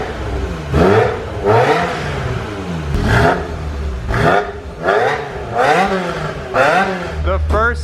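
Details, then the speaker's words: 1995 Ferrari F355, straight-piped, with an F355 Challenge race engine, new clutch and 6-speed gated manual, on its first startup after sitting for years: repeated short revs from a lumpy, slightly cammed idle rise and fall cleanly. Sounds healthy. "oh it started right up wow really good i like that you're that little bitty camp right yeah it sounds slightly camped yeah all right tiny little rev"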